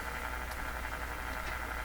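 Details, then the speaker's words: Canadian Westinghouse Model 636 five-band tube radio, tested before repair: on the shortwave band only a faint, even hiss with no stations or noise signals; band dead, band arrangement suspected wrong, cause unconfirmed. "is time of day really nothing but we should hear noise we should hear noise signals that's just dead dead dead"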